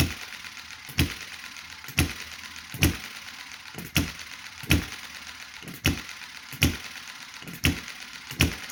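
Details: Chinese model hit-and-miss engine started after months unused, with thick oil and possibly dried oil in the carburetor: sharp pops about once a second at uneven intervals. Running is erratic but steadies as fuel flows and the engine warms.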